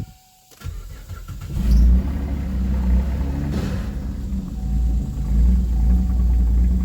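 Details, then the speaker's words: 2012 Camaro first start after accident on a marine battery, no antifreeze in it: cranks and catches, then a sharp bang a few seconds into a rough idle, still running; source of the pop unclear. "Heard something go pow on start up, but it's still running."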